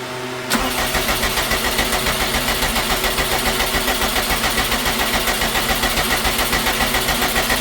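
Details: 2012 Subaru STI hatchback, rebuilt engine, first start after sitting nine years, new fuel pump and tank with 93 octane: starter churns steadily over seven seconds, about three and a half even compression pulses a second, never catches.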